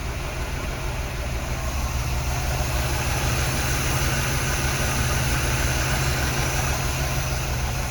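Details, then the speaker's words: 1975 Oldsmobile Delta 88 Royale V8, cold, after a Quadrajet carburettor rebuild with the choke plate not yet fitted: low, lumpy, slightly rough idle because the carb is jetted lean and there is no choke. "now it's running a little bit rough because these are jetted pretty lean and the motor is cold and there's no choke"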